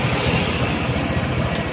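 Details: Honda Beat scooter with a strange noise from the injection area, traced to a loose injection/throttle body setting. After servicing and readjustment it ticks over with a steady, even beat and the odd noise is gone: normal idle.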